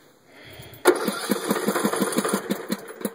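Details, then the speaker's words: Craftsman LT1500 lawn tractor (about 10 hours' use) cranking after it quit when the blades dropped; starter spins evenly, about eight beats a second, never fires and it smells of gas; flooding suspected, cause later found to be a faulty wiring harness. "did not start will not start still smell a little bit of gas right now"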